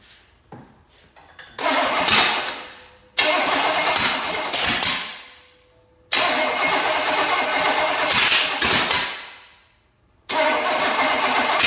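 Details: Small block Chevy engine of unknown condition, being primed with a little fuel poured into the carburetor. Four bursts of cranking with only weak firing that never catches, fire coming out the side; cranks but won't start, cause unconfirmed.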